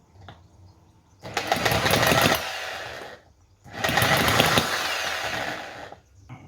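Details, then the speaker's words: Cison FG-VT9 9cc petrol model V-twin: two short bursts of fast rough firing that die out after a second or two after too much choke. Typically hard to start, keep running and tune. "this is a little bit typical of what I find is happening with this motor it's hard to start and it's hard to keep running and it's hard to tune"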